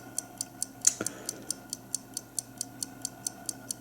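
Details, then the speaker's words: 1950 Buick Roadmaster New Haven dash clock after oiling: crisp light ticks about four and a half per second, evenly spaced with no stalls; contacts close, the magnet energizes and it rewinds itself over several cycles. "i have had to go through a couple of cycles now where it's actually closed that gap right there down and the circuit gets closed and the magnet gets activated and it uh winds itself again"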